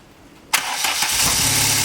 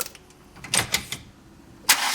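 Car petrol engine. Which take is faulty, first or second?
second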